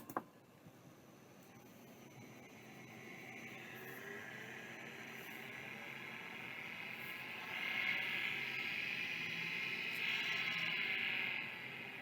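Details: Vintage hard drive being tested: a faint whine climbs slowly in pitch over hiss then fades without reaching a steady spin; drive not starting properly.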